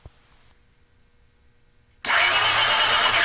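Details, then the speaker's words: 1982 Honda GL500, sat a couple of years, cranked with plugs out during spark check; starter spins engine fast and evenly, no knocks or grinding; normal cranking. "all right so now I'm gonna just check and see if we got a spark oh"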